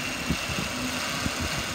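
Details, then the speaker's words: 2005 Ford Taurus SE ex-police unit, 3.0 L V6, 94,000 miles, automatic, idling after about 20 minutes without overheating. Even, steady low rumble with no misses or knocks; engine idles smoothly, though a slight power steering pump whine is noted on revving. "it's got the 3.0 liter v6 motor sounds good it's been running for about 20 minutes has not overheated it's idling pretty smooth"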